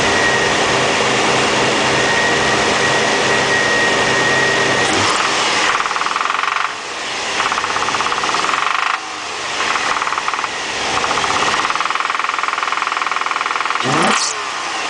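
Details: 2003 Infiniti G35 VQ35DE, 6-speed manual, 130k miles: engine blipped repeatedly, rough rapping knock rising with revs and fading as they drop. Suspected rod knock, not confirmed.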